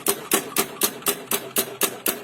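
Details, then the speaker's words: Carbureted Honda Beat scooter with a classic intermittent starting fault: sharp, even clicks about four a second with no cranking or firing; starter clicks but doesn't turn engine despite new parts. "Oke ini ada motor Honda Beat karburator yang mengalami permasalahan klasik itu staternya itu kadang-kadang cuma jejak"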